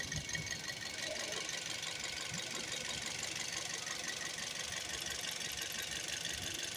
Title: Toyota 1NZ FE Vios 2008 2012 Engine Knock, Rattling Noise, Vibrate